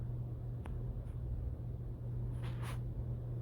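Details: Hunter ceiling fan after the repair of a years-long squeak, caused by the fan's fins hitting a wire: a steady low hum with no squeak or ticking. It is now running smoothly.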